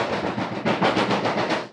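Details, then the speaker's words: Off-road buggy being rewired after a harness fire: rapid tinny drumming, about eight or nine hits a second, that stops abruptly, a loose sheet-metal hood panel vibrating, annoying on rough roads; hood panel rattle. "which is really annoying when you're going down a rough road and this is all you can hear. So we're going to see if we can dampen that sound a little bit."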